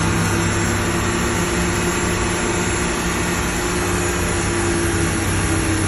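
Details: 2025 XD1500 NSU running with a constant low-pitched whine holding one pitch over the engine drone; the source of the whine is not pinned down.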